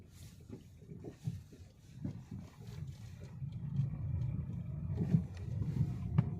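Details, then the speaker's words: Lada Vesta NG Cross driving at −10 °C, in second gear: dull, irregular low thuds over small bumps and joints; the owner hears a front-end suspension knock of unknown cause, possibly the power steering or a shock. "кого также гремит на мелкой неровности бляд на стыках бля гремит подвеска еть не понятный стук"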